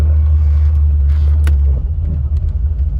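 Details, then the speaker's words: 1985 Chevrolet Corvette C4 that labors to start, sputters and won't idle well: deep idle rumble sags and turns lumpy when shifted into reverse, nearly stalling; owner suspects a fuel filter problem. "start it up let me see if i when i put in reverse it wants to die"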